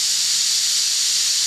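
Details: Boiler safety valve being set on steam, this one set at 130: steady sharp high hiss blowing off evenly with no chatter; valve lifting cleanly at set pressure.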